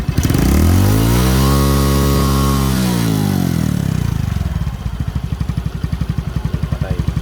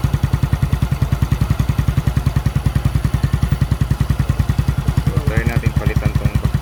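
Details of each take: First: Suzuki Smash motorcycle with hard starting, after spark plug and suction hose replacement: crisp rev climbs and falls back, then settles into an even steady putt-putt idle near 230 beats a minute; running clean. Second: Suzuki Smash single-cylinder motorcycle that was hard to start and would not start when cranked. Fix was replacing the suction hose and spark plug, and the owner suspects fuel flooding the plug. After the fix it idles steadily with even low thudding, about three beats per second.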